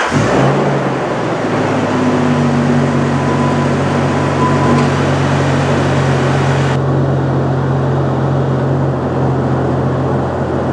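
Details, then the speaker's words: Jeep Wrangler TJ 4.0 six, idling after replacing a distributor with a wiggly bearing, done to chase a recurring misfire: even, steady idle with a smooth low hum and no stumble or skip. "well the distributor is in it runs fine"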